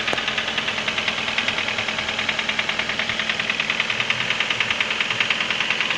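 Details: Internal engine knock: crisp, regular metallic ticking about 200 a minute over a steady idle; cause unknown.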